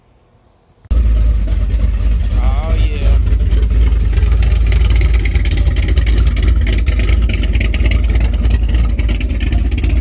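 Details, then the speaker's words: Firebird with 454 big block and Thumpr cam, first start in two months after ignition timing was pulled back: deep, choppy, loping idle steady around 800–850 rpm with good oil pressure; normal lopey cam idle. "good oil pressure hasn't even hit 160 yet idling like 850"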